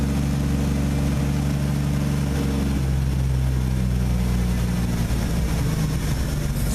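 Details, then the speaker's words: Old engine that hasn't run in a while, restarted as snow melts and held on the gas pedal while warming up: uneven, lumpy idle settling into a steadier lower drone, still not idling on its own; rough running when cold, smoothing out. "It sounds a lot better. It's smoothing out."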